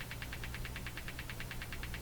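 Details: Hammarlund HQ-180 receiver motorboating with steady putt-putt pulses of about nine a second over low hum. The noise disappears with the noise limiter on, and the behavior differs between the AM and CW detectors.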